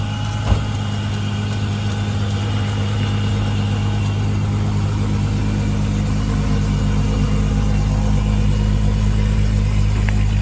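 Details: Supercharged Mk3 Jetta VR6 (Silver Arrow) with a fresh engine and rebuilt Vortech V9 supercharger kit. Steady, smooth idle with an even low hum and faint supercharger whine, no knocks or misses; the engine sounds healthy.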